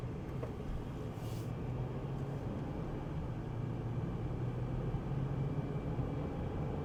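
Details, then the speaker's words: High-mileage Honda Pilot petrol engine after replacing the suspected faulty downstream O2 sensor; no exhaust leaks found underneath. Low, steady idle hum with no ticking, puffing or exhaust hiss; runs really good, healthy. "Runs good, runs really good. We're off and running."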